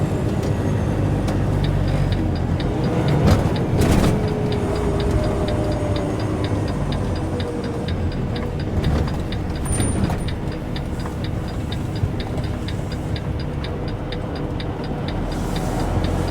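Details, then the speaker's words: Truck tractor's turn signal hyper-flashing, quick even clicking about four per second over cab drone; cause is the left tail light turn signal bulb out on the tractor while the marker light works. "don't know if you can hear that turn signal, how fast it's flashing. When it does it, when it flashes that quick, it means you got a bulb out somewhere. Well, basically that means you got a turn signal bulb out."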